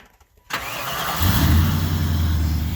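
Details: 1994 Chevrolet Impala SS, unstarted at least 5 years, running on 20 liters of fresh gasoline after first start: silence, then engine catches and settles into steady even low idle, no knocks or misses, warming up before trailering.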